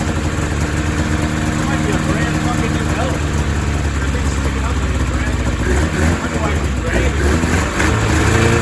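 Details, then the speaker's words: 2000 Ski-Doo MXZ-X 440 two-stroke race sled, first running after fuel system flush, airbox off: lumpy, uneven idle burble that stumbles and blubbers; owner says it might be a little fat, loaded up and choked at idle. "might be a little fat um she's a little loaded up in the low end if I let it idle she's a little choked up"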